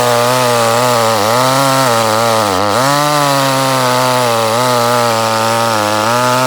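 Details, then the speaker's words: Echo CS-310 chainsaw, about six to seven years old, held at full throttle when warm stumbles with revs sagging sharply twice; high-rpm cutout worsening over eight months, not cured by new air and fuel filters, fixed by replacing the spark plug. "but uh about eight months ago it just started cutting out on top in you know I've gone through it's just out of the blue just started"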